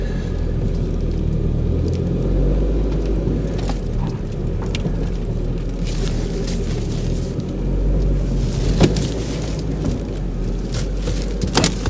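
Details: Ford Mondeo rescue project, cold after snow, now starting with fuel pump hooked to a separate battery: deep steady low rumble, even beat, a few handling knocks. Normal idle; cause of original no-start still unknown.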